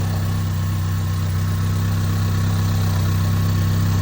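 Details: 2015 Honda CR-V 2.4L AWD, cold start: steady idle with a faint uneven rattle (~3-4/s) that grows louder and reportedly fades as it warms; suspected low/dirty oil from overdue changes affecting VVT solenoid/phaser/sprockets.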